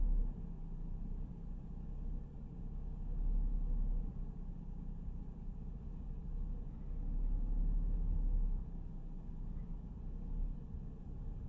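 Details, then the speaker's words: Mercedes SLK 350 R171 petrol engine at idle: low rumble that swells and sags, a rough hunting misfire that smooths out under throttle. The cause is suspected to be an ignition coil or spark plug, and the coils get checked. "okay so i can feel it more than you can see it but the idle is just all over the place it's struggling to keep itself afloat there"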